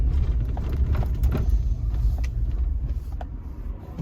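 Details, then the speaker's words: 2011 Chevrolet Avalanche Black Diamond 4WD V8, original engine, replaced transmission, pulling uphill on the road, heard from the cabin: deep, even rumble with no ticking or odd noises. Judged a strong, healthy engine under load. "but good strong engine, sounds healthy. Don't hear any excessive ticking or any kind of weird noises coming from there."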